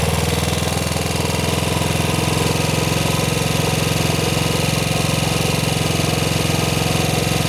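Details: Model 8 single-cylinder motorcycle engine, recorded cold then hot, running steadily with an even knock about three per second on the exhaust beat; worse at 40 mph and above, cause unclear.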